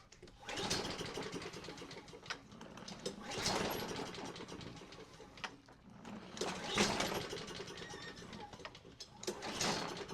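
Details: Craftsman self-propelled mower with a Honda engine, after a carburetor clean and rebuild and starting fluid: several pull-cord cranking bursts whir freely with no puffs or catching; spark is present, and the cause proves to be zero compression.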